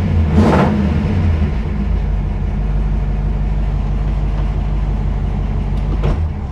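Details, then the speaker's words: 1955 Ford Y-block V8 after replacing four bent pushrods and setting valve lash, air cleaner on: a quick rev blip, then a smooth, even idle with no top-end ticking or clatter, much quieter than before. "let's um let's do that oh sounds much better man it sounds better"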